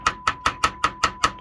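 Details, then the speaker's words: Technics amplifier after resoldering suspected dry joint at amplifier module and redoing heatsink compound: steady mid-pitch test tone holds through sharp taps about five per second, no cutting out that occurred before repair. "where it was very clearly before cutting in and out, doing all kinds of weird stuff, and now it isn't. So I think we got lucky."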